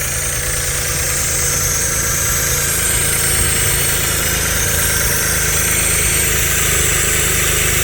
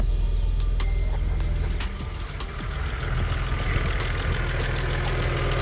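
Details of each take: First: Stage 3 Audi Allroad petrol engine at first start after work: uneven wavering idle with steady airy hiss from a vacuum leak, an unconnected intake/vacuum hose, idle improving. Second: Stage 3 Audi Allroad that sat unused for about two years, idling after startup and coolant top-up; it quieted down soon after starting, giving a steady, even warm idle with smooth low rumble, no hiss, ticks or misses.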